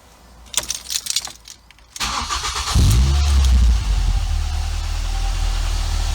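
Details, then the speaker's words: Ford Fiesta ST150 (Mk6, petrol) started during service, car on jackstands: starter whirr, quick catch and flare, then even steady idle with no knocks or ticking; normal start and idle. "So now it's just been started. I want to give it 5 minutes or so just for that to drop to the bottom of the sump."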